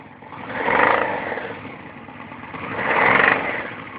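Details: Yamaha V-Max 1200 with a rough, clattery knock that appears above 2000 rpm and fades back at idle; carbs and air cleaner vibrate with it, no engine vibration; owner suspects top of the front cylinder bank, not confirmed.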